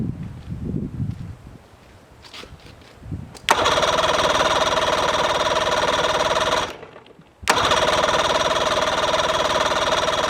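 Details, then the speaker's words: Mercury outboard starts at once after starter replacement and battery change (bad battery suspected), settles to a steady even idle, stops and restarts cleanly with no misfires; normal start and idle. "Success. It runs, it runs."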